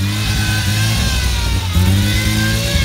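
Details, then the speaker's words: Mazda RX7 FD rotary, first start of new ported engine, cold (27°C water, running rich): thin steady whine over revving engine, persisting as revs change; power steering pump whine from low fluid. "the steering wheel pump , it needs more fluid try moving the steering wheel from left to right"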